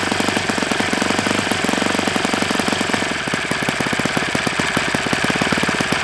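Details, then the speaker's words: Enya 46-4C four-stroke model engine on a Ron Sexton test stand with 12.7 prop, at idle: fast, crisp firing beat with a dry rattle on top, running well otherwise; owner concludes it needs new bearings. "Yeah, this thing needs bearings. And it's gonna get them. It's gonna get some good bearings in it."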